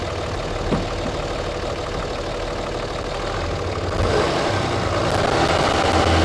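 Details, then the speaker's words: Diesel truck whose turbo failed 12,000 miles after install, no blowby found: idles evenly and revs smoothly with no whistle, squeal or knock; healthy. "Let go ahead and start up. Let me show you. Nothing, which is excellent. Sounds good. Rev it up a little bit."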